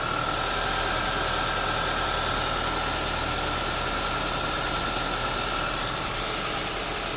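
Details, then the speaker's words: Audi Q5 turbo that had a misfire and EPC light, after new injectors, spark plugs and ignition coils: smooth, even idle with a faint steady high whistle, no stumbles; no misfires. "so it's running I don't have any misfires"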